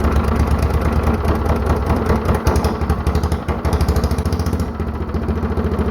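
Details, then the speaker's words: Mostly stock Honda clone single with 10 lb cast-iron flywheel and cam modified for low-rpm compression, started on choke; even, steady slow heavy-flywheel thump, no misses or knocks after compression release disengages; normal running. "Alright, there we go. Sounds really good. Alright, so you could hear when I was starting it up and stopping it, there was a little bit of a change in the sound."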